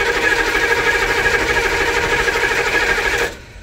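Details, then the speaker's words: 1995 military HMMWV diesel (glow plugs replaced) cranks with a chugging starter and faint sputters, no catch. The fuel pump pressurizes and fuel flows, so the filter and pump seem fine; the owner suspects the fuel injectors. "The fuel pump is probably fine. It's probably the fuel injectors that are the last obstacle to fixing this problem."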